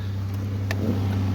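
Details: 2008 Pontiac Grand Prix 3.8L V6 running after replacing the ignition control module, which fixed a misfire on cylinders 2 and 5 that new coil packs had not cured; smooth, even drone with no hesitation or missed beats.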